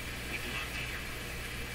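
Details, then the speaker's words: Nordmende Caruso console radio, FM band tuned via signal generator, no decent antenna connected (built-in engineered FM antenna not hooked up): stations come through terribly weak, steady rushing hiss swamping programme; weak FM reception, cause unconfirmed, antenna suspected. "They just sound terribly weak."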